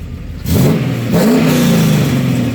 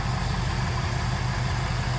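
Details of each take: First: 1996 Camaro Z28, 5.7L LT1 V8, tuned on a stock cam: two sharp revs over a deep V8 burble with faint raspy puffing from a cheap, poorly aligned Y-pipe that is leaking. Exhaust leak. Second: 1996 Chevrolet Camaro Z28, 5.7L LT1 V8, tuned on stock cam, 4-speed automatic, just started: deep, steady idle with gentle rhythmic lope from the tune, smooth and even, no knocks; normal idle.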